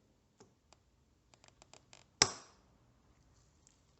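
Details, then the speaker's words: Aprilia Shiver, reassembling the tank after spark plug change: a few light ticks then one sharp crisp snap as the fuel line quick-connector locks onto the pump, meaning the hose is correctly connected. "Wenn Sie dieses Geräusch hören, bedeutet dies, dass der Schlauch richtig angeschlossen ist."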